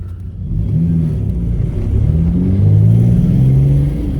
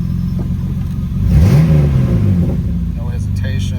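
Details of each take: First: 1997 Mitsubishi 3000GT SOHC chasing a misfire after injector swap; pulls up, then the deep drone stumbles and pulses unevenly under throttle, sputtering. Spark was cutting out from a poor ignition coil ground. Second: 1997 Mitsubishi 3000GT SOHC after the grounding was redone to cure a misfire; engine blips up and settles back smoothly with even firing, no stumble or miss. Running normally now.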